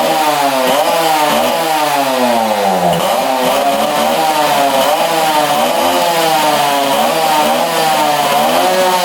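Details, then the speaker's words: 1966 Yamaha YL1 two-stroke, first start with the throttle held wide open: very smoky raspy buzz surging in waves and hanging at high revs; oil spilling out. "She fired up. Holy cow, that thing is smoky. I had to hold the throttle wide open to get that thing to go. And uh right now it's revving pretty high."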